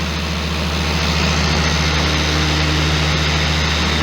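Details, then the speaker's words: Bauer 56367 20mm-orbit DA polisher, before backing plate and grease upgrade, run from minimum toward speed six under hand pressure: steady heavy low drone with coarse shaking hum; excessive vibration, worse when pressure is applied. "so you put you put any kind of pressure on it and the vibration gets even worse i don't know if you can see my hand vibrating here"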